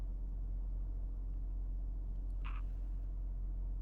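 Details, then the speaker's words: BMW E46 at a normal, steady idle without hunting after cleaning the MAF and idle air control valve and replacing a broken PCV breather hose (vacuum leak); idle previously sat near 1000 rpm, codes gone. "Honestly, it seems like it's pretty good. Oh, it's finally at a normal idle. Usually it was sitting closer to like the 1000."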